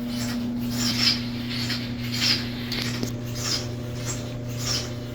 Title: the dryer is making a noise.